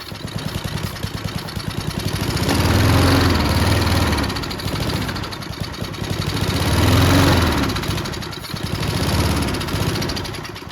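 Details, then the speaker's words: Junkyard Bob-Cat push mower, about 30–40 psi compression, started on brake cleaner through the spark plug hole: rapid chuffing that surges and sags with puffing at the intake; intake valve suspected unhappy, blowing a lot back. "I don't think that intake valve's too happy. It really blows a lot back."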